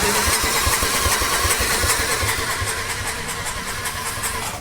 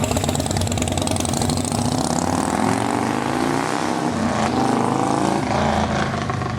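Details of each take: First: Display motorcycle being revived, cranked over to clear water from the cylinders: even starter chugging about two and a half beats per second, never catches, fades out; afterward little is still coming out. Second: Long-parked display V-twin bike just revived, throttle blipped hard: deep throb climbs cleanly through several revs and settles back, no misses or knocks; healthy engine revving freely.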